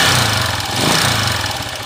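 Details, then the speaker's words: Honda TMX155 single-cylinder motorcycle before repair: harsh, loud rattling clatter at idle with rough shaking; worn connecting rod and crank bearings, later replaced along with timing gear, follower and pushrod. "tapos manginig napakinggan niyo na yung may sanib kanina mga ka bro"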